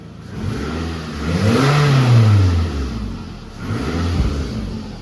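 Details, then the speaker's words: Car in a garage after the exhaust was welded with a flux-core welder: revs up and settles twice, the exhaust note deep and even with no puffing or ticking; no leaks, a sound exhaust. "So there are no leaks right now, that is good."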